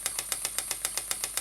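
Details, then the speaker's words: Stuart "Petit Cheval" donkey water pump model, 6 cm3 displacement, double-acting, rated 40 to 400 strokes per minute, running slowly on compressed air: crisp, even, steady clops about eight per second; normal pump operation. "vous l'entendez fait son clope sur clope comme c'est une machine à vapeur"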